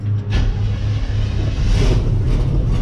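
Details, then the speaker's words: 1970 Chevy K10 with crate 350 V8 and automatic, first start after sitting 21 years, fuel poured in: catches and runs rough a few seconds then sags and dies; won't stay running yet, seemingly starved for fuel. "There we go. She don't want to stay running just yet. Let's give her some more juice."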